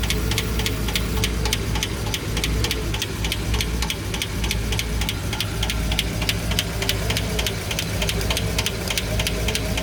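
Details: Petrol V engine, valve cover off on the right cylinder bank, idling evenly with light, steady valve-train ticking; hydraulic lifters quiet, normal after earlier valve-train noise.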